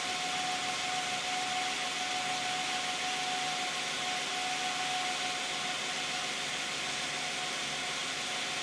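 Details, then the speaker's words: 2010 Toyota Camry 3.5 V6, 93,000 miles, Pennzoil Ultra 5W-30 synthetic with Wix filter, idling: very quiet, even idle, soft hiss and faint steady tone, no knocks or misses; normal idle. "I think it sounds pretty quiet. It'll be interesting to hear how the video sounds."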